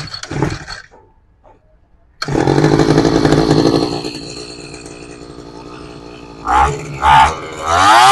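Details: Tanaka SUM328 two-stroke grass trimmer that would not start, serviced with the filter refitted and fuel filled: after a pause it catches, holds a steady high buzz and takes clean throttle blips; runs properly.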